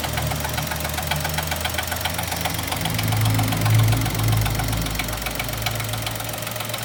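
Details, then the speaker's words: 2020 Chevrolet Onix three-cylinder, parked just after start at about 1,000 km, recorded from inside: fast metallic "can" rattle over steady idle only while brake pedal is pressed; mechanic suspects brake vacuum pump, dealer calls it characteristic; source unconfirmed. "eu vou apertar o freio agora é e aí é daqui de dentro a gente já observa o barulho barulho de lata"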